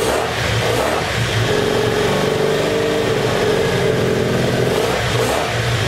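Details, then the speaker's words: Abandoned 1984 Honda Sabre VF700S V4 after new ignition coils, fresh oil and an idle screw adjustment: smooth, even engine note that rises and settles with the throttle, no knocks or rattles; sounds healthy. "i just went ahead and drained it out put some fresh oil and i think i got the idle squeeze time so let's crank it up now should have been cooled off with that fresh oil sounds good"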